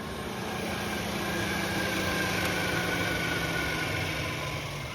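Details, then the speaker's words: VW Caddy with TFSI engine conversion, engine off: a steady airy whir as the cooling fans run constantly. The EML light is on; the owner blames a coolant temperature sensor wiring fault on a yellow wire, to be re-crimped. "Dash wise, EML light is on because that coolant, because the fans are constantly on."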